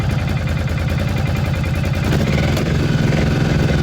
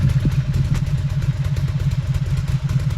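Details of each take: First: Cagiva 750 Elefant V-twin (Ducati engine) idling after a bad wiring connection was fixed by moving the cables; both cylinders firing again, slightly uneven at first then settling into a steady, even loping beat. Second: Cagiva 750 Elefant V-twin (Ducati engine) just restarted after a bad wiring connection was fixed; uneven, lumpy idle with irregular pulses, firing on both cylinders but still a bit rough, blamed on excess fuel from riding on one cylinder.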